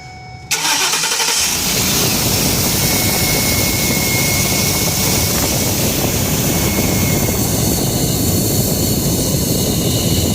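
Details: 2012 Ford E150, engine cranks and catches, then runs with a loud airy hiss and faint high whistle from a vacuum leak at a newly fitted Dorman intake manifold, installed to cure a coolant leak.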